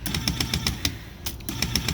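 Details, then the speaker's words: Neglected IBM Selectric typewriter whose grease-stuck on/off switch was freed by smacking it: motor runs with a fast steady thump, about seven or eight a second, under a rattly clatter, caused by a bad center pulley with a split hub. "but as you can hear that noise and that thump that is a bad Center pulley bad everything in here which I assumed"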